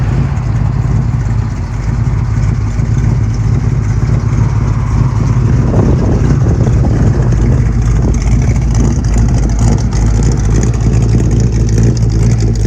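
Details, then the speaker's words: 1968 Ford Fairlane 500 Fastback V8 after sitting eight years, cold start at 38–42°F: fires right up with a deep, even rumble, revs cleanly and settles to a steady idle, no misses or knocks. "Freaking 38 to 42 degrees today. And she fired right up."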